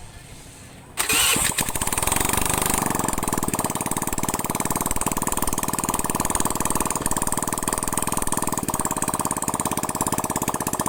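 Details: Honda Vario carburetor scooter after full engine teardown, internal and carb cleaning, radiator refill, water pump replacement and 50 oversize rebore: starts at once, settles into an even steady idle, no knocks or rattles; healthy.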